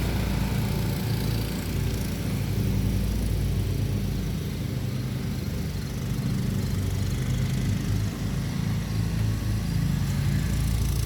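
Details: Kawasaki engine idling after ignition coil swap (401v coil from John Deere walk-behind parts motor, fixed no-start); steady even low putter, no misses or knocks, normal idle.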